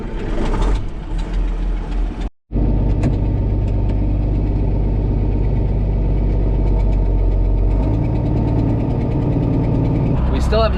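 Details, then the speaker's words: Old 4640 tractor diesel running with a heavy, uneven low puffing and knocking from an exhaust leak. "fixed the exhaust leak on the old 4640 either so that's what that sound is"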